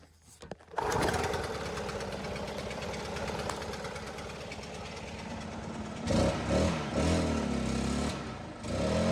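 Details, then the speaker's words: Stihl two-stroke backpack blower starts and idles, then bogs and stumbles at full throttle, never did before. "I hit full throttle, it bogs and it's never done that before."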